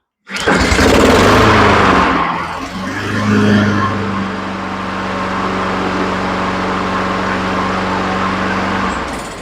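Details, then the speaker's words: Honda HRN216 mower, about two years old, previously wouldn't start: starts on a slow cord pull, surges briefly, then holds a smooth steady drone with no misfires or hunting; running healthy. "man she sounds good okay let's take her out and cut a little bit"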